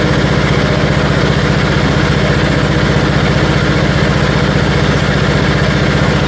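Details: 1974 Dynastar lawn tractor after revival from 30 years sitting, engine freshened, magneto coil replaced: single-cylinder thumping with slight rhythmic gallop about twice a second; engine hunting, owner thinks more carburetor work is needed.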